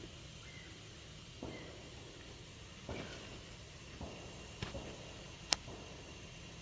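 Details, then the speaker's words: 1997 Peterbilt 379 with a cracked axle housing, axle pressurized with air through a gauge fitting, engine off, before soapy-water check and welding repair. Faint steady hiss with light clicks as air leaks out of the axle housing. "So you can hear it. I don't know where the air's going, but obviously in the axle."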